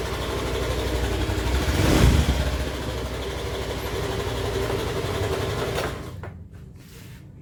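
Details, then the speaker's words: 2015 Honda Beat injection scooter engine running with a harsh, dry, gravelly rattle through the revs, then shutting off; worn crankshaft bearing, with signs the oil had run dry. "dari suaranya si garing-garingnya ini udah bisa dipastiin lahar krek as ya"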